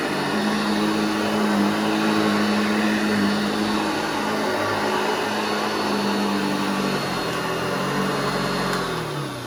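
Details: Restored vintage Hoover Junior 1334 upright vacuum, demonstrated after full restoration and reassembly: steady motor whir with smooth even pitch, dipping slightly and running down at the end, no rattles or grinding; healthy.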